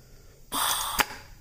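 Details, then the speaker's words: Pontiac TH350 transmission on the bench, air-testing a clutch drum through the pump passages: a half-second rush of air hiss, then a sharp puff as the piston pumps up and holds pressure. Slight hiss from the pump sealing rings. "hear a little bit of a hissing but that's mainly because keep in mind keep in mind those sealing rings that go through the that are on the pump are where this passage has a seal"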